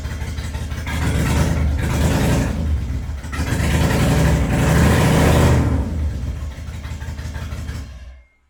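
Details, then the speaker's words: Toyota Cressida with swapped 1UZ V8, started after new spark plugs (all plugs equally fuel-fouled); lumps unevenly and swells without climbing in revs, running on one bank, later traced to a faulty distributor cap and rotor. "well it doesn't seem to want to rev seems like it's kind of just stuck um honestly it feels like it's running on one side like it's not running on all cylinders definitely feels like it's got a serious misfire or just not firing in general"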